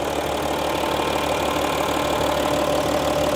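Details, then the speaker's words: 2015 Audi SQ5 3.0 TDI Quattro diesel, well maintained by the previous owner: steady, even idle clatter heard with the hood open, no knocks or misses. Very stable, no weird sound, no shock and no oil or coolant leakage. Normal idle. "Let's listen to the engine sounds. Very stable. No weird sound at all."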